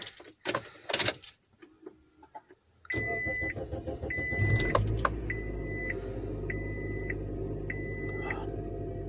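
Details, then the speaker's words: 2005 Scion xB on a cold day after drive belt and exhaust replacement: engine starts and settles to a quiet even idle under a door chime, belt squeal gone; normal idle. "it's quiet now and no squeaky look at that excellent"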